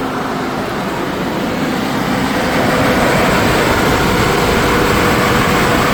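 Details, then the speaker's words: 2002 GMC Envoy just after replacing the fan clutch, fan kept: even rushing fan roar over a smooth engine, easing off as the clutch disengages, no squeak or click; new fan clutch working normally. "well it sounds like it's doing its job it's slowing down definitely a lot slower than the previous one was actually feels like it's running better too"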